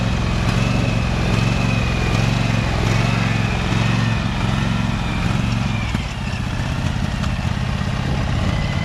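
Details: Husqvarna 2346XLS hydrostatic lawn tractor after rust-bound brake and gas pedals were freed with lubricant, driven forward and reverse at highest speed: steady low drone holding even, no stalling or stumbling; normal running.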